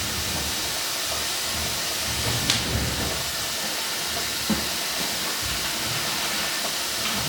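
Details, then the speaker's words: Steady, even airy hiss from a 40 A plasma cutter switched off, starting as soon as compressed air is hooked up; not leaking from the fitting but bleeding internally, owner suspects air used as cooling. "one of the things that I noticed about this thing is it's off right now so the another here is my heater here as soon as I hook up compressed air to it [Music] makes that noise and it's not leaking out of the fitting"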